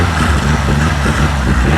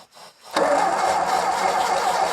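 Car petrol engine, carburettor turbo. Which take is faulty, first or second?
second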